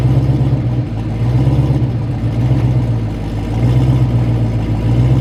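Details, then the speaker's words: Loud LS V8 "Cowmaro" drag car pulling hard on a pass: uneven, lumpy beat stumbling about once a second, definitely missing; cause unconfirmed, spark plugs to be changed, converter thought too tight. "if you guys can tell it sounds like it's a little funny it's definitely missing"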